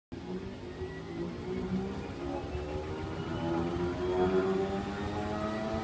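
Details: Steady low hum with faint wavering tones and an uneven pulse about four times a second from a Samsung P801DWN1/XAC washing machine; an unusual running noise, cause unknown.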